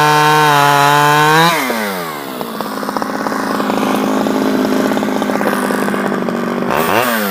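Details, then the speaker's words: Stihl 011AV two-stroke chainsaw after a carburetor rebuild and a spark plug coil wire fix; revs to a high steady scream, drops as it loads into the cut and keeps pulling evenly. Running cleanly; owner guesses crank seals may be needed. "I took it off and took it apart and put it back on and it seems to run better so"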